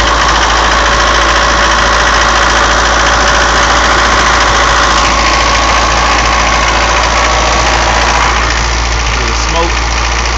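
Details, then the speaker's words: Mercedes 240D diesel with white smoke, warmed about a minute and a half, no load: steady clatter at a raised idle that never settles lower; this is as low as it will idle, high idle. "and that's about lowest sh idle so idle about she idles down about like that she idles down about like that"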